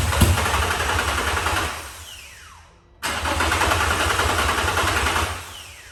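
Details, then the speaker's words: Nissan 350Z with a freshly installed replacement engine, cranked with the fuel pump fuse removed to prime the system: two cranking bursts spinning down after about two seconds, briefly catching on leftover fuel in the system. "So you could hear there was a little bit of fuel still in it, but now we're gonna put the fuel pump fuse back in and hopefully it should just start right up."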